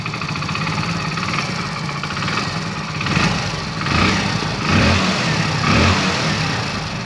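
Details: Hero Splendor BS6 single-cylinder motorcycle, first start after engine refitting: even thumping idle with a few smooth throttle blips, no knocks or rattles; normal idle.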